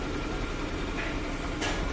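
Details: Maruti Suzuki 800 petrol car, after fixing a starting problem traced to the resistor / ignition coil fuse: steady, even idle with a constant low hum and no misses or knocks; normal idle.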